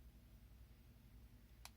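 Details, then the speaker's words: Nintendo 2DS board with its screen backlight disconnected: a quiet low hum, then one sharp pop as it powers on and shuts off because it can't detect the backlight. This could be a loose ribbon cable or a broken screen. "Basically, the popping noise is for when it can't detect that the backlight is connected."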